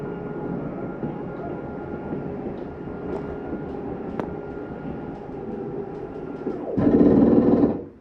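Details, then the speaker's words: 2020 Sierra 3550FL RV, middle slide-out retracting: steady motor hum during travel, then a louder coarse grinding for about a second as it bottoms out; normal sound of the slide mechanism signalling it is fully in. "it almost sounds like something grinding when they come in that's the slide mechanism telling you that it's all the way in"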